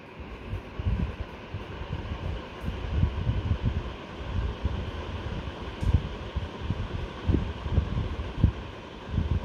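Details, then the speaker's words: Superfan Q Series 5-foot (1500 mm) BLDC ceiling fan, sound test in a near-silent room on low speed; soft, steady low whoosh of moving air with no ticking, rubbing or wobble, running quietly and smoothly. "so it's not a professional sound test but i'm using an app which helps me determine the sound i've done this in the past so just taking the ambient sound of the room almost zero so it helps us better this is on low speed let me go to the next medium"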